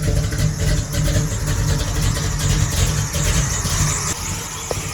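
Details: Smooth, steady idle with a regular low pulse and no misses, as the engine warms up for a couple of minutes after a new Brawler 650 double-pumper carb and new plugs. Some smoke is present and rpm is unknown with no gauges; normal warm-up idle.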